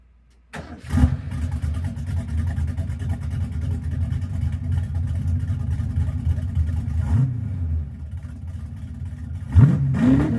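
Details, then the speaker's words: 1982 Ford Mustang GT V8 with new straight-through mufflers, tailpipes not yet fitted, possible exhaust leak at an imperfect joint: cranks, catches, deep lumpy idle, two rising revs; sounds hardly louder or different than before. "I'll be completely honest. I don't think it's any louder than it was. Um, it doesn't sound a whole lot different."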